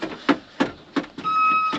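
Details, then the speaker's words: After lubing, removing a bolt and nut, separating parts and applying silicone, sharp short squeaks about three times a second keep time with the movement; a mild squeak remains, less than before, when it squeaked the whole way back. "still a bit of a squeak but not as bad as what it was it was squeaking the whole way back before"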